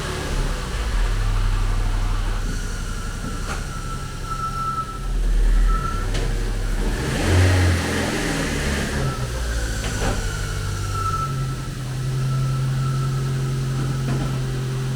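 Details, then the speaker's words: K12 Nissan Micra idling after its exhaust noise was fixed: a steady, even drone with no blowing. The engine ticks over nicely, though it may benefit from new spark plugs. "The exhaust noise is gone. It sounds much better now and is ticking over fairly nice."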